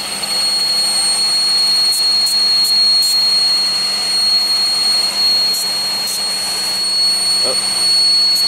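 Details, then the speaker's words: 2001 Pontiac Aztek GT, rebuilt engine, at idle: piercing constant-pitch high whistle; a vacuum leak traced to the upper intake plenum gasket area. "so it's coming from up here definitely not flowers or wise look I think I found it so it's coming from it's definitely coming from the funding gasket it's not even as loud as it was"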